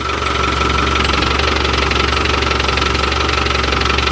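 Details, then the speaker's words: Land Rover Defender 110 diesel warm idle after a couple of minutes' running; hard even rattle around four beats per second; noisy clutch suspected, being removed and replaced with new. "Oh, that's so much nicer when you turn that off. But that clutch is noisy."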